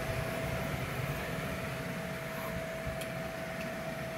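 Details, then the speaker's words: Air conditioner unit with iced-up line that gave no cooling, after plugging the cable back in: steady soft whoosh and constant mid-pitched hum, no rattle or scraping; condenser fan running smoothly, problem solved. "now there we go I hear the fan now problem solved problem solved all right I can hear the fan okay and that's it"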